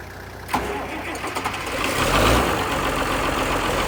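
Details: 1955 White (rebadged Oliver 1955) diesel tractor jump-started from a ute: brief quick cranking, then it catches and settles to a steady even idle; extra battery capacity fixed the earlier slow cranking from poor connections.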